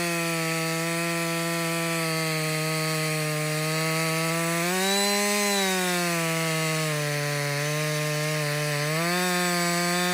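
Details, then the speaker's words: Husqvarna 562XP two-stroke chainsaw after a dealer software reflash for dying when hot and stumbling: a strong, steady scream holds high revs, dipping and recovering as it cuts wood. Clean, even pull on its first full tank run; healthy. "so this is a real life scenario right we're cutting we're cutting yeah you keep working this is really the First full tank I've run"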